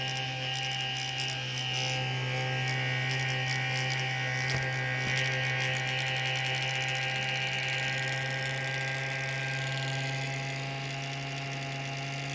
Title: M15 r3 fan. bad bearings?